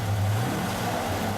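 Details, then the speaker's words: Old V8 in a manual truck at cold start before engine removal: rough, loud idle with busy solid-lifter clatter over the low rumble. "Boys and girls, it's the last time that you're gonna hear me cold start this pig, and it's gonna sound like this. Hear them solid lifters,"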